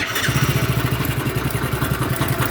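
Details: Hero HF Deluxe BS6 motorcycle, about 7,000 km, idling: loose metallic chatter over steady thump from timing chain noise; rides oddly.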